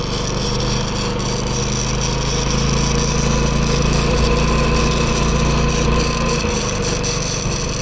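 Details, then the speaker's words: New Predator 11,500 W inverter generator powering a Chinese inverter welder: a steady engine drone holds its pitch as the welding load comes and goes, with no surging or stumbling. The owner notes only the noise level; the arc holds and it runs normally under load. "Work pretty good. It's just a noise factor that I'm tripping out on. It goes."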